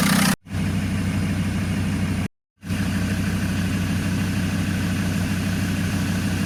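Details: Abandoned Land Rover Discovery 2 TD5 five-cylinder diesel: smooth, steady clatter at even idle, no misses, knocks or hunting, typical healthy TD5 sound; normal idle.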